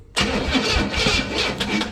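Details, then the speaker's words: 1962 Chevrolet Impala 350 V8 with sketchy wiring: a short burst of starter cranking that whirs without catching while the ground wire smokes from a poor connection at the starter; cranking with poor ground. "And if I leave that go long enough, that's the ground wire smoking, because that's what's holding the ground wire on."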